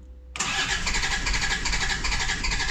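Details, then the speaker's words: Land Rover Discovery 2 Td5 diesel after fitting a fuel pressure regulator: cranks briefly, catches and settles into an uneven, lumpy idle with extra clatter and a new engine light; running rough, cause unclear. "the best we've got so far we've got some noise and we've got an engine light on"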